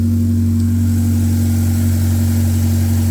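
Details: K24-swapped 1987 AE86 after fixing flipped MAP sensor wires, fuel pressure being dialed back; steady, even fast-idle note with a clean low hum, no misfire or stumble. Normal revving.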